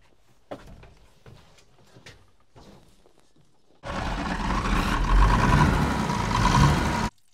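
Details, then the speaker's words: TK Bedford crane truck with Perkins 6354 six-cylinder diesel, sat about 20 years: steady heavy cranking that never catches; air suspected in fuel system, air heard escaping from the injection pump bleeder screw. "I've got the bleeder screw out and I can hear air coming out so that's probably been our problem"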